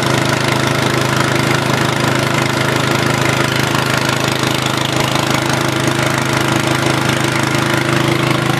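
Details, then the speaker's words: Low-head turgo hydro inverter generator, 120 V AC, at about 20 psi, running battery charger and fan: steady even whir and low drone, no knocks or surging; runs smoothly under load. "Okay, now the inverter's just turning on, and we already have the battery charger and the fan running off of it."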